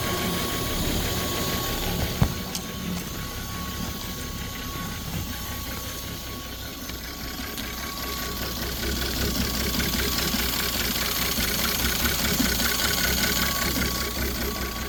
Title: 2010-2019 FORD GT Engine Rod Knock Ford 3.5 Ecoboost Police Interceptor